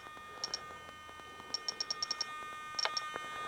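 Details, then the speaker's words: Seagull Models giant-scale Zero (50-60cc gas) servo setup: a thin, steady high hum under quick transmitter beeps as the servo stalls against its stop, set too tight. It is being backed off to find the fully closed point. "and there you start to hear it hum that's too it's too tight so we're just going to keep backing it off"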